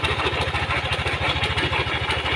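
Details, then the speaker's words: First-generation Yamaha Aerox 155 scooter, owner complains of a clattering noise when started: quick steady idle with a rough, dry clatter ticking along over every beat; camshaft bearing rattle. "Yo ini mengeluhkan ada suara kottek-kottek pada sepeda motor ini Mas ketika dihidupkan"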